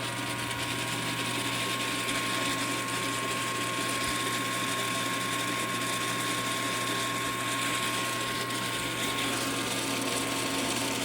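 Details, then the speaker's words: Mechanica Cortini CNC lathe retrofitted to Mach 4: steady whirr with fast rattling chatter throughout; spindle rattle, source not yet identified. "not exct sure what's making the rattling noise but I'll figure that out as the time comes"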